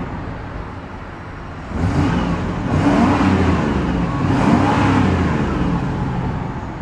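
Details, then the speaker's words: 1994 GMC Vandura G2500 conversion van: engine blips up twice from a calm idle and settles back cleanly, deep smooth exhaust note with no knocks or rattles; normal, healthy revving. "These engines sound fantastic."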